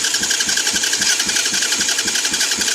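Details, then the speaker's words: 200cc Chinese dirt bike (fake KTM), start wires twisted together: quick, even whirring starter pulses about four or five a second, turning the engine over steadily; starter now cranking properly. "i think i fixed it let's separate these apart cut the switch on it it's working y'all that's awesome"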